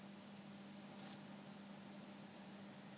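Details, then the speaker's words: Mains hum through the speakers at switch-on of a 1974 Sansui 881 stereo receiver before restoration: steady low hum around 200 cycles under constant hiss; owner suspects leaky power-supply capacitors, not confirmed. "okay there so there's like a mains hum on the speakers mmm don't know if you can hear that on camera so I'm reproducing it"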